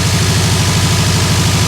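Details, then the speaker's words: Subaru WRX 2.5 turbo, freshly assembled engine after oil priming, first start: steady low burbling idle, even pulse, no dropouts or knocks; smooth, not missing, temp gauge rising a little. "Oh man, it sounds great. Any leaks down below here? Nothing that I can see. Feels smooth, doesn't feel like it's missing at all."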